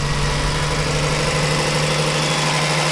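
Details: 2002 Toyota Sienna 3.0L V6 at about 311,000 miles, idling after the fuel pump and blown fuses were replaced to fix a crank-no-start: steady, even idle with a smooth low hum and no misses, knocks or ticks; healthy engine.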